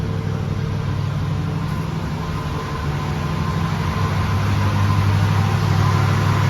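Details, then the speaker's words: 1976 Oldsmobile Cutlass Salon, original V8 with about 54,000 miles and many gaskets replaced last winter, cold start after 24 hours: smooth, even rumble at slightly raised fast idle, no knocks or misses; healthy engine warming up. "Guess I'll do a quick walk around so you can hear it run. It's kind of on the fast idle circuit, I think, right now."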